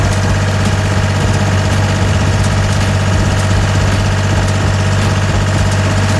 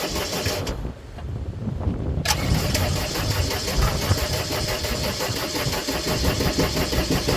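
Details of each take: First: Gehl 4640 skid steer with a Deutz diesel, diagnosed for a fuel solenoid or pump fault after quitting and refusing to restart: steady, deep diesel idle with an even low thrum and no knocks or misses; running healthy. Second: Gehl 4640 skid steer with Deutz diesel, quit and won't restart: steady rapid cranking about two per second, engine turning over but never catching; the fuel shut-off solenoid is not pulling in.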